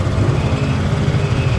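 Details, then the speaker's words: Honda Click 125 scooter after repair of a noise diagnosed by ear as the tensioner: a smooth, even low putter at idle with no ticking from the top end. Quiet, healthy normal idle. "So, ulitin natin para makita nyo. Ayan o. Alright na, tahimik"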